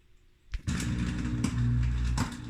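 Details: 20-month-old Samsung dishwasher: motor starts with a thump and hums low, broken by sharp clicks about every second; strange clicking noise.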